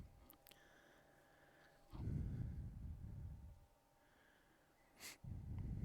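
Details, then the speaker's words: IBM PS/2 Model 65SX with an added "Tribble" SCSI adapter, its original SCSI hard drive spinning up at boot: a faint steady whine under the fan hum, then a surge of whooshing as the drive spins up; normal spin-up, followed by a 162 error. "okay it's spun up that hard drive that's still in there sounds like it's trying to read it"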